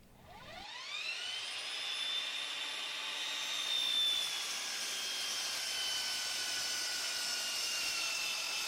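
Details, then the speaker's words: Dovaman DMS01C 10-inch sliding miter saw making a 45-degree second-bevel cut through thick wood; high whining motor holds a strained, sagging pitch, slowing down near the end of the cut; motor bogging under heavy cut. "I decided to slide across the top of it at a shorter depth just so I could take the cut and make it into smaller sections because the saw was really bogging down. You could hear it really well at the end of that cut right there."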